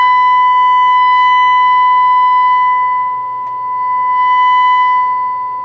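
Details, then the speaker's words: Two-stage single-ended vacuum tube amplifier on breadboard with small output transformer: loud steady 1 kHz test tone, buzzy with stacked harmonics plus 4.5 kHz pilot signal; distorted, about 2.5% THD mostly second harmonic. "I can hear it's a 1 kilohertz hit a signal with it's laden with harmonics it does have my 4.5 kilohertz pilot signal in there though"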